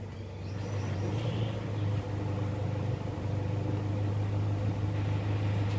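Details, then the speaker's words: 2005 Toyota Innova petrol, 206,000 km, after repairing oil leaks from aged brittle seals: idle around 800 rpm with AC switched on, smooth and even, no knocks or misses; healthy idle, AC cold. "RPM udah normal udah Idling nih sekitar 800 kita coba nyalain AC guys"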